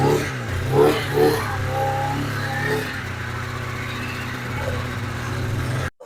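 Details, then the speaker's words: 1997 Polaris Indy 440 Touring two-stroke snowmobile, started after sitting a couple months, fires then hunts and stumbles, unable to hold steady revs; it likes running with the choke half on. "we are going to go through the carbs because she likes to run with the choke half on"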